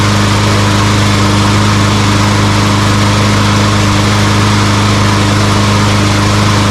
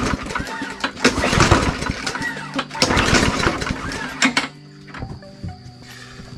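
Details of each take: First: Walmart Hyper Tough push mower that wouldn't start, with compression and spark confirmed: after the carburetor was cleaned, the small single-cylinder engine holds a steady, even drone with no surging or sputtering. Normal running. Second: Walmart Hyper Tough push mower with good-looking fuel: several hard recoil pulls that never catch; starting fluid made it pop, confirming compression and spark, so the no-start is a fuel issue traced to the carburetor.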